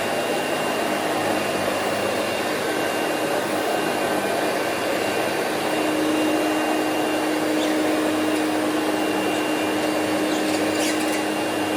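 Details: Green Hoover Celebrity QS Quiet Series two-speed vacuum with power nozzle plugged in, started on low: steady, even suction roar and constant motor hum, no surging or rattles. Runs normally, though the owner notes slight bearing noise on wind-down.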